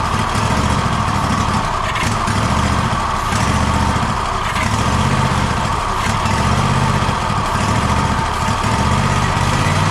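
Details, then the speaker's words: Gravely ZTX 42-inch zero-turn mower during 160-hour engine service, after fuel line reconnected: engine idles with an uneven lumpy beat, surging slightly instead of settling; still running rough. "yeah I still ain't running just right"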